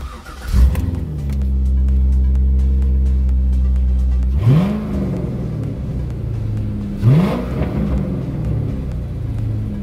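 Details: Engine starts and settles into a steady, even idle, then takes clean throttle blips with no roar or drone after an oil-caked part was cleaned; it runs smoothly, though the alternator is not charging and has caused limp mode.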